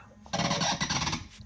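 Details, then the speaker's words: Corroded Delta faucet handle, water shut off, hard to turn; short, high, scratchy squeal about a second long as the handle is forced round; internal corrosion and buildup damaging threads make it bind and squeak. "So this sink is starting to mess up. So it makes this squeak like that. And it's very hard to turn."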